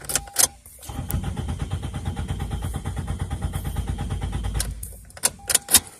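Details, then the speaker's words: 2002 Toyota Corolla LE, about 173,491 miles, was running earlier, in neutral: starter spins the engine with an even steady cranking chug for about four seconds but it never catches or fires; crank, no start. "trying to try neutral yeah that's not really starting at all"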